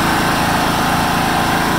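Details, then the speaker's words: 1996 John Deere LX176 lawn tractor, Kawasaki engine after sitting years, carb untouched, at wide open throttle: steady even high-speed drone, no surging or sputtering; runs cleanly. "Idle's pretty good. That's wide open right there."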